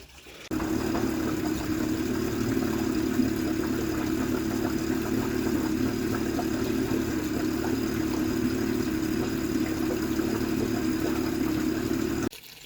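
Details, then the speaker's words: 50hp Honda outboard after a full service (oil and filter, throttle and shift cables replaced), running in a water trough; steady, even idle hum after the low idle was adjusted up a little. "Okay, so I am happy with the way the motor runs now. I had to adjust the idle a little bit, bring it up a little bit. It was idling a little low."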